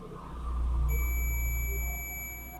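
A single steady high beep of nearly two seconds from the meter confirms continuity; the indicator bulb filament is good.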